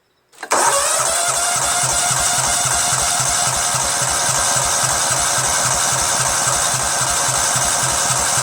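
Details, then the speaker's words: Cub Cadet tractor with a 13 hp Kohler Command CH13 horizontal-shaft engine, fed by a replacement mechanical fuel pump: the starter cranks steadily for eight seconds without firing while the pump barely pulses fuel; later traced to a crimped fuel line and bad carb gaskets. "I mean it's pulsing a little but that's just not working"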